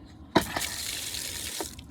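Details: Outdoor faucet after repairing freeze damage and converting copper line to PEX: valve opens with a sharp splash, then a steady hiss of water flowing freely with no sputter or spitting; normal flow after repair.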